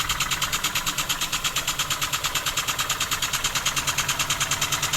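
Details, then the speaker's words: Homemade wig-wag model steam engine on first run, driven by compressed air at under one bar, still needing running in: even, crisp air puffs about three per second, steady with no knocks; normal running. "yeah I'm just going to keep the pressure there at the moment it's running on I don't know um it's about yeah it's less than a bar"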